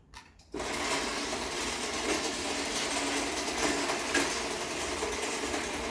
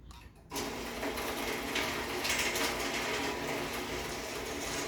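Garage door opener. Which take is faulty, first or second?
first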